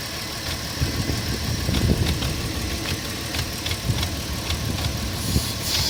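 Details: 2004 Porsche Cayenne 3.2 on LPG, cold idle: busy, uneven clatter and scattered ticks over a low rumble; noisy when cold, cause unclear.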